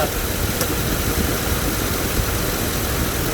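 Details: 2008 GMC Yukon 5.3 V8 after repair (misfire codes, burnt fuse feeding the injectors replaced): steady, even idle with a low rumble and no stumble or miss.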